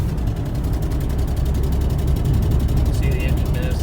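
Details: 1999 Ford Mustang V6, rough idle with an audible miss on one cylinder and a pronounced exhaust leak; fuel smell, suspected bad injector or fouled plug.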